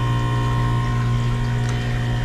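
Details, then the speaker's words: Manitowoc commercial ice machine on a blank LCD touch pad call, suspected water damage: running again and reporting ice-making, with a steady compressor hum and no knocks or rattles; normal ice-making run. "you can hear the compressor running it says it's making ice so i just want to see this"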